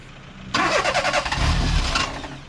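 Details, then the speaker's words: Budget £700 first car at a petrol station: starter spins briskly about 1.5 seconds with uneven pulses, never catches; possibly flooded, fuel smelled, unconfirmed. "You might have flooded it. I can smell fuel, but then again we are at a petrol station."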